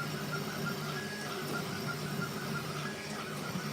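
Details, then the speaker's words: Creality K1 (possibly CoreXY) 3D printer during a speed test: cooling fan kicks in and runs at full speed, a loud steady whoosh with a constant whine over the print moves, no rattle or scrape; normal cooling fan noise. "I probably was okay so you'll hear the fan kick in and then it's just gonna go crazy"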